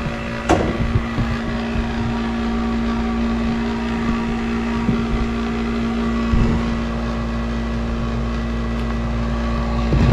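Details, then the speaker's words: 1991 Snyder General dedicated-horizontal furnace with pilot and burner lit, after a new capacitor was fitted: a constant droning hum with a loud, rough rumble, not much better than before; blower motor replacement is recommended. "Not much better. Okay, well, I'm going to recommend a blower motor, but it was a 1991 unit."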